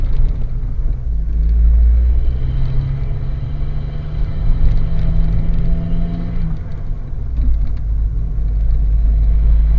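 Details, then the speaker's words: A car slowing on a mock driving test before the driver changes down a gear gives a deep, heavy low-rev rumble and rough rattle: the engine is labouring in too high a gear. "well he gets to down change the gear and as you can hear the car's rattling away"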